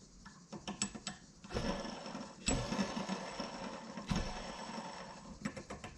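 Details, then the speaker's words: Yamaha XS650 engine rebuild inspection, hand-spun crankshaft main bearing: noticeable play, gritty rasping rumble with clicks, doesn't spin freely; worn, rough main bearing needing replacement. "there's a bit of play in that one and it doesn't sound all that great and it doesn't spin super freely either"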